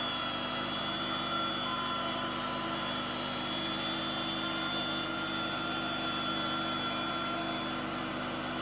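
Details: Petrol electric generator converted to run on propane gas: a smooth, even drone with a steady pitch and no misses or hunting, so the generator runs cleanly on propane.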